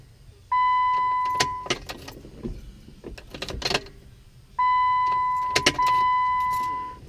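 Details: Jeep, battery charged overnight after sitting about two months, lights not dim, clutch recently replaced: key-on chime twice with only faint clicks and no cranking. The starter motor has failed.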